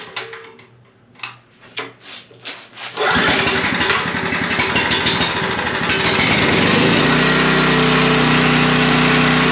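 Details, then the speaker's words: Generator after parts replacement, restarted with a vacuum cleaner plugged in as a load: handling clatter, then it catches and settles into a steady, even drone; it runs smooth. "okay she seems to be running smooth I think that's uh all that one's going to take to"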